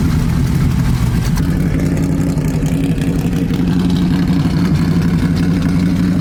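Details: 1970 Chevy Nova small-block V8 race car (Turbo 350 with shift kit), just started after long disrepair: deep, loud, steady rumble at an even idle with a bit of throttle; normal idle.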